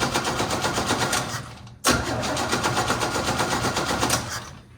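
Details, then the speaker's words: 1969 Chevy C10 inline-six, unrun for about nine months, cranks steadily at about four beats a second and never catches. Still no spark after replacing coil, cap, rotor and condenser; points suspected: cranks but no start. "All right, as you can see, we have replaced the coil, the cap and rotor, and we still haven't gotten any spark."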